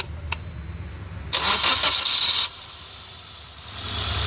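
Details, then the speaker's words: Maruti Suzuki Ertiga petrol, towed in with pickup issue, engine noise and stalling when accelerator released; after timing corrected via cam pulley: short crank catches cleanly into a smooth, steady idle that settles slightly higher; sounds perfect now. "দেখে নিন গাড়ির ইঞ্জিনের sound একদম perfect এসছে। কোন problem নেই।"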